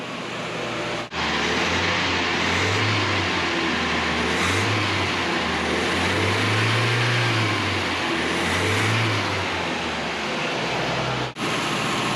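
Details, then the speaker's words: 1985 Nissan 720 rebuilt engine just after first start, idle adjustment screw turned up to hold a high idle; steady raised idle with smooth even beat and slight rev swings, healthy. "so i'm going to turn up the idle adjustment screw just so our idle is high i think that's healthier than anything"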